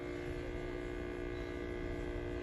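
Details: Panasonic refrigerator about 30 days old making a steady even buzz with a fixed tone: the drip tray vibrating against the compressor; pulling the fridge out stops it, but it returns within 10 to 15 days.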